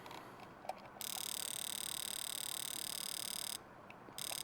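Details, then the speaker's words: Bench test of a removed fuel injector pulsed manually to simulate the computer signal: fast, even ticking about three clicks per second, showing the solenoid opens and closes normally, though fuel flow is not confirmed. "now you hear that that's pulsing every time this is simulating the computer it's pulsing that injector now it doesn't mean the fuel's flowing through it but at least it's opening and closing"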